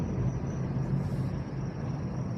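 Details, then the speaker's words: VW Polo with performance air filter and a whistle insert fitted in the tailpipe, while driving: thin steady high-pitched whistle squeal riding over the engine drone, coming from the exhaust whistle insert. "Especially when I'm driving past people and they just hear like the most high pitch little squeal ever."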